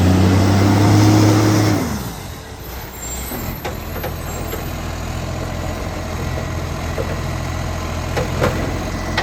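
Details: Ryde Recycling refuse truck 757, about 11 years in service, on its collection run: after an air-brake hiss, the diesel settles into a steady idle with a regular puffing tick at firing rate from an exhaust leak.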